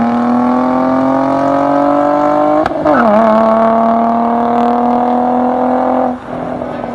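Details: Nissan 350Z VQ35DE V6 with DIY cat-delete exhaust, GoPro recording, accelerating: clean, even note climbing with revs, quick shift near three seconds, no rasp or leaks; healthy exhaust.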